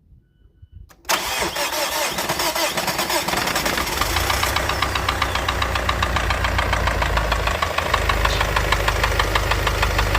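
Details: Mazda CX-7 petrol engine, hard to start, fires up into a rough idle with a steady, fast clicking over it; cause unknown.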